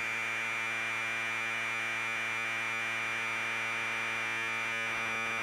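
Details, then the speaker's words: Commodore 1530 Datasette playing a program tape with the head azimuth screw turned far off; data tone hissy and smeared with hums underneath and no crisp warble; badly misaligned azimuth, later corrected by ear. "that's definitely wrong so we'll write about in here i'm gonna go extreme so you can hear the difference that's definitely bad"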